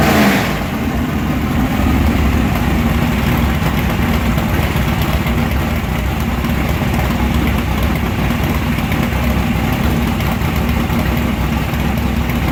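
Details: Mechanically fuel-injected engine fires straight off the crank into a loud, deep, lumpy but steady cold idle with no misses or knocks; normal cold start and idle.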